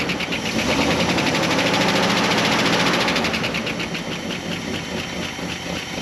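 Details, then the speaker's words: Dodge W300 4x4 dump truck engine, carbureted, revived after sitting a while, runs on its own with a steady even beat of about three pulses a second that eases slightly; sounds healthy, good enough to drive. "oh it runs now too can move it i think that's round enough to drive so let's try it"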